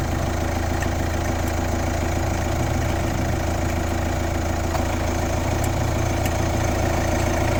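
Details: Kia Ceed 1.6 CRDI 115, D4FB diesel engine at idle: odd rapid knocking clatter, about two to three per second, over a steady idle; cause unclear.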